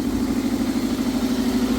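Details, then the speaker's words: Toyota MR2 Mk3 with new battery, just started cold: even, steady idle hum with a smooth regular pulse and no knocks or misses; healthy cold idle. "You can hear that it's cold."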